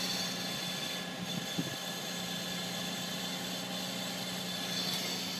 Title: 2006 G35 Metal on Metal Grinding Noise on Cold Start